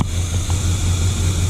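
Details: 1979 Chevy C10 factory 454 big block V8, first start after sitting five years, fuel pump suspected bad: deep, even idle with a smooth steady rumble, no knocks or misses, has oil pressure. Normal idle.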